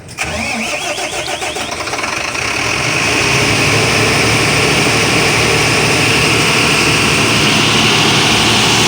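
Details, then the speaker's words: Volvo Penta 275 kVA canopy generator, auto-mode test simulating mains power failure, set to start within 5 seconds, battery 28 V; starter cranks briefly, engine catches cleanly and settles into steady even off-load running, no knocks or misses; normal start. "Kita start ujian secara auto. Dia akan start 5 second."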